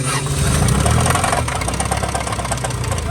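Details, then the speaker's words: Track car after a track session overheat shutdown caused by a failed radiator cap: engine runs roughly with uneven knocking under idle; engine considered blown and done. "Alright, shut off. It's knocking like a Jehovah's Witness. So this thing is done for it."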